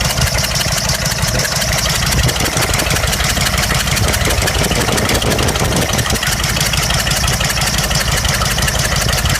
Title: 6.5 Detroit diesel misfire cylinder no.6